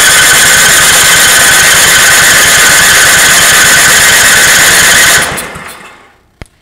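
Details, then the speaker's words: Ariens snowblower with Tecumseh engine: the starter churns about four beats a second with a whirring squeal but it never fires. It has lots of spark, good valves, gas in the tank, a good section of the old fuel line reconnected to the carb, OK needle, seat and float, and a stuck throttle. "she's a cranky [ __ ] but no matter what you do she won't fire and it's got lots of spark lots a lot to spark"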